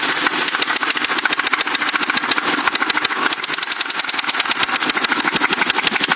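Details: Crown Victoria engine at idle, with a noise that developed recently despite good maintenance: a sharp, regular tapping of two to three knocks a second rides over the idle. Owner suspects rod knock; cause unconfirmed.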